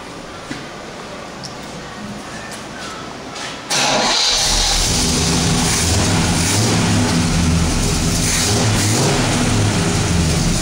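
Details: Freshly rebuilt 1969 Pontiac GTO Judge Ram Air IV V8 (factory specs, balanced bottom end) on a rolling chassis, 2.5-inch X-pipe exhaust, turbo blue/premium fuel mix: brief crank, then fires into a strong even idle, no knocks.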